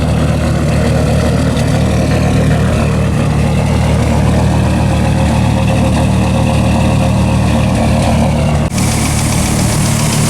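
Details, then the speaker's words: 2004 Dodge Ram SRT-10 with owner-built turbo kit, first start after sitting five months: after initially running lean and misfiring, settles to a deep, loud, steady idle with even low rumble and no misses or knocks. "we're going to let her idle for a little bit see if she clears herself out again it's been sitting for 5 months so sounds like it's running"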